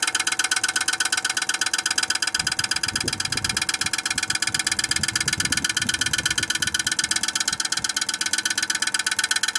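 Heat pump outdoor unit runs with a hard, steady knock about twice a second, from ice building up inside. Cause suspected, not confirmed.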